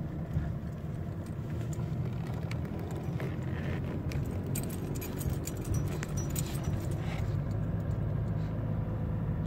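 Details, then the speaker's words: 2006 Mercedes C200 CDI climbing a hill in fourth gear, lugging just over 1000 rpm: deep droning rumble with loose rattling knocks from front left; owner suspected a sway bar link; cause was a loose sway bar bracket with stripped thread, noise gone after repair. "Donc je suis en sous-régime et on va entendre vibrer. Là on l'entend flagrant."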